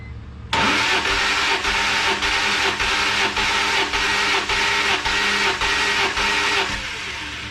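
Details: BMW E46 M3 first start attempt after a CSL airbox failure, cranking during a compression test that read 175 psi on a good gauge (60 psi on a cheap one). Even starter cranking with regular compression pulses about twice a second, no missed beats, not firing; normal cranking.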